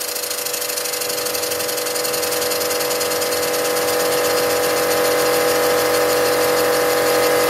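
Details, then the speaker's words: Stuart No 4 steam engine machined from cast iron castings, running in on compressed air at about 30 PSI, cast iron rings, counterweights fitted: quick even puffing beat three or four per second over air hiss, no bouncing; normal smooth running. "And as you can see, the engine's not even though it's running at quite a handsome speed, it's not dancing around or bouncing around at all."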